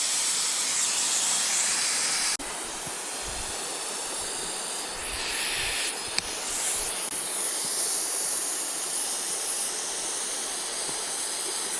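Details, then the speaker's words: Maple sap vacuum tubing line crossing a creek. A steady, sharp hiss of air sucked in with creek noise behind: a vacuum leak where a squirrel chewed the tubing in half and chewed the fitting, which gets replaced. "If I can hear the leak. Sounds like it's on the street right up here. Oh yeah. And there"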